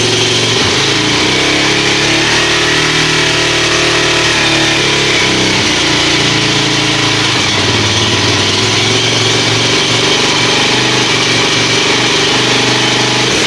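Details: Kawasaki KFX400 single-cylinder quad after a wet winter outdoors, serviced with new carburetor, cable and oil change: choked cold start catches cleanly, then steady even idle, no knocks or misses; runs healthy.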